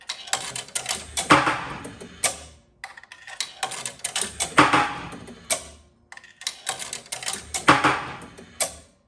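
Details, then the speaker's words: 1976 Bally Flip Flop pinball after the bent left coin-chute metal piece was straightened: coins drop in about three clean bursts of rattles and clicks without jamming. Normal coin mechanism operation on both left and right sides. "the left side is good [Music] and the right side is good as well."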